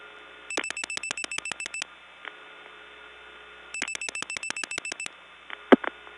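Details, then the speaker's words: 1979 Gainesville GA step-by-step tandem, redialing 00 via Dawsonville: two quick trains of about ten sharp clicks, then faint tone and lone clack; another bad link in the switch train. "Yep, that's just another bad link."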